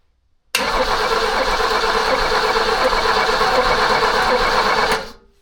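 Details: Abandoned BMW E21 sat for years, old fuel drained, fuel filter now wet, spark unconfirmed: starter churns steadily about four seconds, engine never catches; cranks but won't start.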